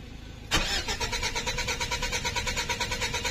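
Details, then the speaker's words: 2013 Mitsubishi Strada/Triton, codes U1504 and B1707: starter cranks at an even, steady rhythm but the engine never fires; crank-no-start caused by a faulty immobilizer antenna. "so, ganyan lang siya mga kasingkit. Nag-i-start, nagka-clank siya pero ayaw umandar."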